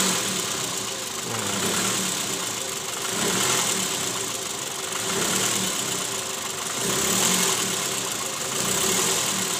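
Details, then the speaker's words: 2008 Toyota Previa petrol engine, 186,000 km, idling in reverse after replacing the worn, loose balancer shaft and its bearings: steady, even hum with no rough rattle or knock. Before repair it ran harsh in D and R. "Hai OTG suara mesinnya udah jauh lebih halus ya salah kita ganti launcher-call sama metal nyaman kita coba dengerin di samping"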